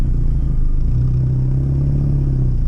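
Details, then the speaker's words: Seat Arosa driving to its MOT with the engine management light on: loud, deep, steady exhaust drone, rougher and boomier than stock; owner thinks the same fault may explain both the light and the sound. "i think it's still possible that's why the engine management lights on and that's why it sounds like that as well"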